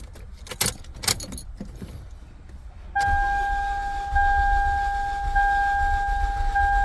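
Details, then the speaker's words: 2008/2009 Toyota Camry, manual, check engine light and misfire codes: starter spins the engine with steady whirr after keys rattle but it won't start; diagnosed bad engine with low compression on two cylinders. "you can see cranks it will not start let's do it again see what happened"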